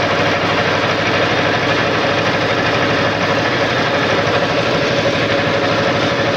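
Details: Wisconsin TJD 20 horsepower inline two-cylinder engine on a tow-behind flail mower, tested cutting grass; steady, even chug under light load with no knocks or misses: normal running.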